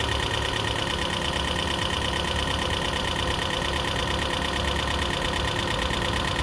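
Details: 2012 Prius V engine at steady idle after head gasket rebuild and computer replacement: busy, fairly regular knock about three per second over loud rattly noise; owner hopes lifters are adjusting and it will clear up, cause unconfirmed.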